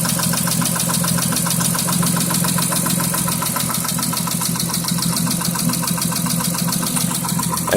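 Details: 2006 Mitsubishi Eclipse V6 at idle: a steady, regular knock of three to four beats a second. It started right after a Royal Purple 5W-20 oil change and new cam and oxygen sensors, with a cylinder 5 misfire code.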